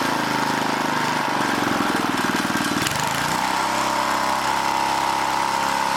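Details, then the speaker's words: Old 1980 rototiller small engine whose speed surges and sags instead of holding; the throttle link, bent and distorted by someone, is hanging up, so the mechanic tries straightening it. "hold on hold on this link is hanging up that's part of our problem why it keeps going crazy because somebody was in there bending on it got it all distorted"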